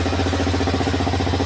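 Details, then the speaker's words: Honda Twister 250 single-cylinder idling after engine-noise repair: steady, even putter with a smooth regular beat and no knocking or ticking; running healthy again, cam chain tensioner had been removed during the work. "Tô aqui com a Twisto de ontem, funcionando tudo direitinho. Ó, a zoadinha ficou nova de novo."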